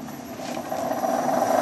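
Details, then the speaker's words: 1.5 hp 1966 Hitachi three-phase lathe motor run from a VFD: quiet for the first 30–45 seconds, then a howl rising in pitch and loudness over a rough groan, bearings suspected shot. "so what is weird is when i first fired this up for the first 30 to 45 seconds it was actually pretty quiet and then all of a sudden it got super loud so i don't know if i would happen to the bearings"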